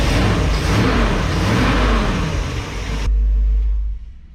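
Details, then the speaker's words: 1961 Chevrolet Parkwood being broken in after wiring work: engine revs cleanly and settles to an even run, with valve-cover clatter gone. Sounds much better. "all right sounds a lot better why you think it sounds better cuz it ain't playing patty cake with valve covers"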